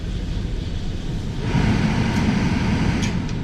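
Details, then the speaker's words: Hyundai Elantra cabin blower after cleaning the blower motor, which had caused vibration with the AC on: steady low fan whoosh, no wobble or shudder; vibration gone. "just like that the vibration is gone and that's it guys"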